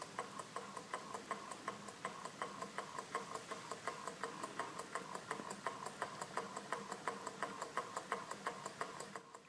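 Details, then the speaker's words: Small kit-built Stirling engine, warmed and nudged into motion: soft even ticking near three beats a second, very quiet, speeding up and running smoothly. "You can actually just about hear it if I shut up. That's how quiet it is, but you can just hear it speeding up. Isn't that beautiful?"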